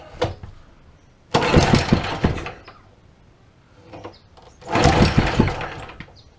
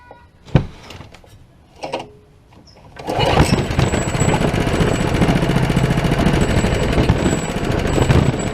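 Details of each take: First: Old Honda small engine that sat for years, throttle linkage just reconnected: two pull-starts each catching into short bursts of even firing before fading; starts and runs. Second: Old Honda small engine that sat for years: a few pull-cord tugs, then it fires and runs rough only on starting fluid. Spark and air are present but it gets no fuel, so a fuel problem is suspected.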